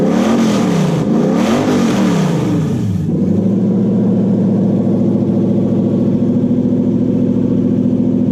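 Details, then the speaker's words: Toyota 1UZ-FE V8 (UCF20) in a Daimler, after repairing a badly miswired engine loom: two quick revs rise and fall cleanly, then a smooth, even idle with a steady low burble; normal running, much healthier. "well so that mode is sounding much healthier now so just the ECU Peter"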